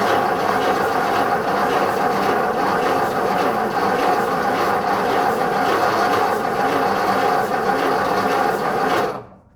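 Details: 1956 Ford Customline 272 cu.in. engine, starter tested in neutral: rough uneven churning for about nine seconds, turns over freely but doesn't fire; smoke seen near voltage regulator/positive cable.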